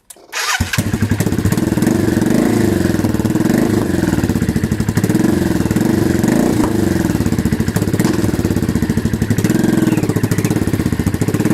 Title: Virago 535 engine whistle/whining sound